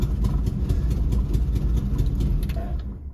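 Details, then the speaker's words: 1970s Volkswagen bay window campervan air-cooled flat-four, seized engine freed, first start in over 30 years, off the key with original starter wire refitted; starter clicks, then it fires with an even low chuff about three beats a second, no knocking, running normally. "Ah, it's clicking again. Oh. There we go. It runs."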